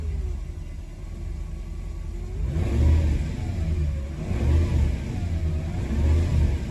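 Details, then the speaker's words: Mercedes W124 E420, M119 4.2 V8, deep rumble with revs rising and falling unevenly every second or so. Owner is unsure. Rough running with surging revs. "oh nope see yeah it's not happy not happy I'm not sure what's going on guys"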